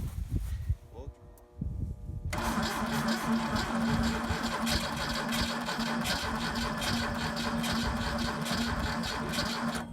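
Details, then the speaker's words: A 1984 Pontiac Fiero is started after its cylinders were soaked with Seafoam for two days to free carbon-stuck rings and reduce blow-by. It cranks slowly and laboriously, then catches and runs loud and uneven. The owner thinks the starter is straining, not a low battery. "so let's see where it goes right I honestly think that starter is cranking as hard as it can not that the battery's low"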